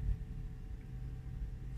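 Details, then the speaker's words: 39kWh Hyundai Kona Electric rapid charging on a cold wet UK morning: low steady droning whir, motorbike-like, from the battery management system cooling fans running under higher-kilowatt charging; normal. "yeah with my 64 kilauea the premium SE I do notice I thought was a motorbike in the background but no it's not it's the fans for the battery management system so even though it's now charging at a higher kilowatt rate"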